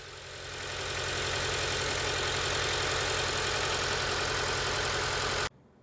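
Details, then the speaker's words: 2006 Acura TSX with check engine light idling roughly with an uneven pulse about four times a second: misfire from a failed ignition coil, which is diagnosed and replaced. "The symptoms are rough idling and the check engine light was on."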